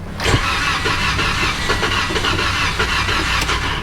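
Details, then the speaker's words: 2015 Toyota Corolla that won't start after being parked overnight: steady starter cranking with even compression pulses but it never catches; suspected fuel delivery problem, fuel pump suspected. "uh so it might be fuel is what it sounds like"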